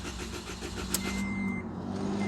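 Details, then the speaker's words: Scion xD that has power but will not start: strong, even starter cranking that never catches; battery ruled out, no fuel pump sound heard with the key on; crank no start, suspected no fuel delivery. "definitely not a battery issue or anything so I like to go with the old test and we'll maybe uh try some starter fluid type stuff I also want to just turn the key and listen for the fuel pump yeah I'm not hearing anything at all from the fuel pump"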